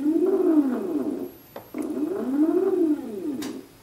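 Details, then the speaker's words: Polargraph SD stepper motor with a Pololu driver after turning current down to about a quarter. A clean tone glides up and down with each move, even and quiet with no buzz or stutter: smoother running than at high current. "you hear that immediately that's much different it's a smoother sound"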